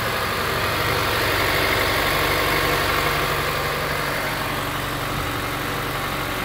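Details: Honda S2000 at cold start after TCT install: fast cold idle with a steady rattly tick, about four a second, over the hum; abnormal cold-start noise of unclear cause.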